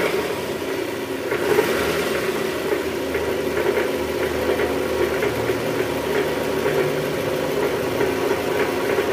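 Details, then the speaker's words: Toyota Estima 2AZ-FE engine at first start, A/C on, in R or D: coarse, knocky sound from low in the block near the oil pan; diagnosed as a worn balancer shaft. "Nah, untuk kali ini kita mau mengatasi gejala trouble, yaitu suara mesin kasar pada saat awal mesin hidup, guys."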